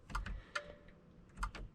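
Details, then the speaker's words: BMW X5 E70 LCI: glove box release gives several sharp, dry clicks with no motor or latch movement after an LED bulb swap killed the light; owner suspects a blown fuse; glove box won't open. "You hear that sound, that clicking sound? Now, what I'm hoping is, in the process of trying to remove that bulb, and in the process of putting this one in, I wouldn't say broke, but I blow the fuse for this system. Based on that sound, it's flipping a switch or something."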